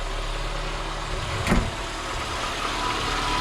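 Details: Lada Niva 21214 after tightening the alternator and power-steering pump belts: a steady, smooth low idle with no belt squeal or chirp; the engine runs evenly.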